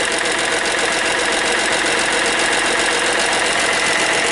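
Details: Hyundai Matrix 1.5 CRDi diesel at idle just after hydraulic lifter replacement, with the lifters not yet bled. Fast, even metallic ticking, about two to three per second, while the new lifters fill with oil.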